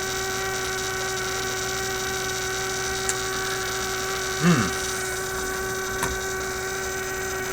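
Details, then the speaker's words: Constant low buzz with a steadier tone above it from a 1967 Heathkit Electronic Projects Kit AM transmitter build; the noise continued with the circuit disconnected, so the bench power supply was the source of the mains hum. "i've disconnected the power from it is still making this noise how the heck does that work discovered something new the single wire power supply okay so my supply is simply putting out this noise here"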